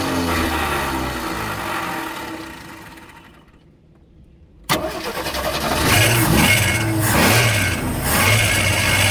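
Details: AMC Hornet six-cylinder parked for years, restarted after checking fuel in the carburetor bowl: rhythmic cranking fades to near stall, then fires suddenly and revs rough and uneven; hard start, catches once primed; harmonic balancer noted coming apart.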